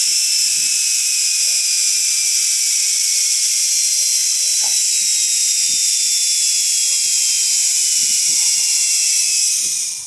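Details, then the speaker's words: 6-wire universal motor from non-inverter front-load washing machine, bench-run directly on line and neutral: high hissy whine at full speed, no knocking or grinding; runs normally. "देख सकते हैं आप ये इतना high RPM होने का कारण ये चल रहा है। पता भी नहीं चल रहा है कि ये घूम रहा है।"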